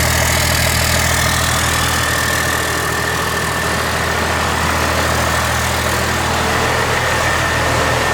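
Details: Chevy truck with swapped Cummins diesel (NV4500/NP205), running in the shop after clutch hydraulics were done, no tach or exhaust yet, alternator not charging: steady, even diesel clatter with a low drone, no misses, knocks or hunting; healthy normal idle.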